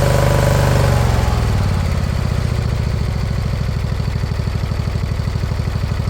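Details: Briggs & Stratton Intek V-twin newly swapped into a mower replacing a blown Kohler Courage: settles from a rev to steady low thumping idle with faint hunting; slight surge expected to clear with fresh gas.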